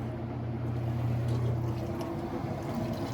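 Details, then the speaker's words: Whirlpool top-load washer with its lid switch bypassed, spinning up while the Maytag dryer runs loud beside it with no vent hose. A deep, steady drone with water sloshing as it is thrown out, and no knocking or grinding. Normal spin cycle. "All right, so the washer's spinning now."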